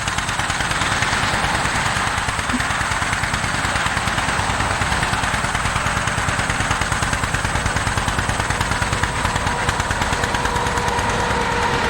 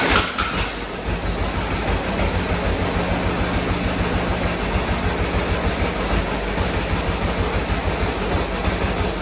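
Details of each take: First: 1947 John Deere B tractor, engine started and warming up before an uphill run, heard as a slow, uneven putt-putt with a lopsided beat and weak or missing pulses; running on one cylinder. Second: 1947 John Deere B two-cylinder, first start after replacing spark plugs when it had been running on one cylinder: catches quickly into a steady putt, both cylinders firing evenly with no misses.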